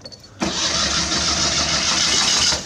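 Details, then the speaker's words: Old Citroën Acadiane bought unseen, dusty and just reconnected: fast, steady cranking for about two seconds with no firing or catch. Fuel is present, so the owner concludes there is no spark; previous owner's wiring is suspect. "Turing quite fast it's not starting there"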